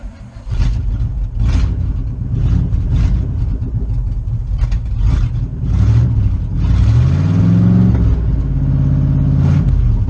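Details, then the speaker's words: 1977 Chevrolet K20 4x4 carbureted V8, first start in about 16 years after fuel priming: cranks, catches and revs cleanly with a steady low rumble, no misses; running pretty good. "that's the first start in about 16 years she seems like she's running pretty good"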